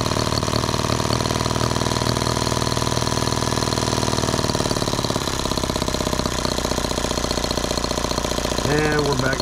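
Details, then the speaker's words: Microcosm H76 twin model engine after valve lapping and new rings, odd noise persisting: a lumpy, lopsided buzz as one cylinder drops out and it runs on one. Valve clearances were unchanged. "back down to one cylinder wonderful isn't that great guys it runs perfect"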